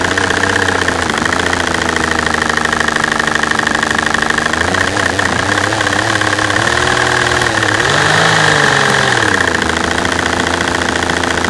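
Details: V12 petrol engine idling unevenly with a bad misfire, rhythm stumbling and hunting; camera at fuel rail over cylinder A3, the tapping heard is normal injector noise.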